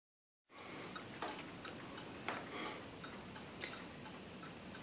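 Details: 1948 Seth Thomas Westminster-chime tambour (camelback) mantel clock, walnut case, in good condition: light, even ticking at a steady beat in a quiet room. The movement runs smoothly. Normal clock ticking.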